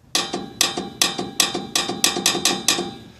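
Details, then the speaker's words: Air horn install with small Viair compressor, testing the horn's electric solenoid valve before hooking up air: sharp metallic clicks, about eleven in three seconds, as the valve opens each time energised; normal solenoid valve operation. "Before you hook your air up, just kind of test it. If I do this, you can hear that valve opening."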